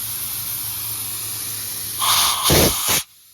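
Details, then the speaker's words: CompAir LeRoi C175 portable air compressor with a 49 hp John Deere diesel running: steady low drone, then a loud sharp hiss of air for about a second; normal compressed air discharge. "We got air."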